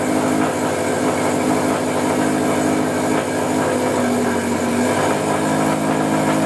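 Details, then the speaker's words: 2013 Subaru STI after full engine build, first start with cooling and fuel systems primed: really loud, raspy cold-start exhaust settling into an even, steady idle with no knocks or misses; healthy cold start. "Really loud, cold."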